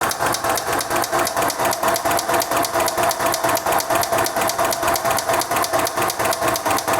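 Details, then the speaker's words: 2001 VW Jetta A4 2.0 with a steady, even knock about twice a second over the idle after overheating; a connecting rod's bearing shells were destroyed, so the bearings need replacing and the rods checked; rod knock. "y aquí está la falla los metales de una biela se hicieron pomada hay que cambiar metales y checar las las bielas que les pasó"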